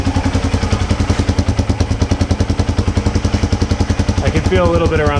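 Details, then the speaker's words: 1980 Honda XL250S after refilling with fresh fuel and a carb clean, started in one kick: a crisp single with a steady, even thumping idle and no misses or stumbles. Bad fuel was the cause. Normal idle. "so I would conclude it was fuel uh if there's a lesson to be learned from this replace the fuel first if you you suspect there's a fuel problem"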